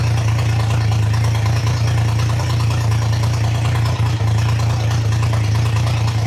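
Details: Triumph Trident T150 triple, first start, choke open, idle screw being wound up, carbs not yet balanced: loud fast idle with a deep droning beat that wavers slightly; owner notes the recording sounds stranger than in real life.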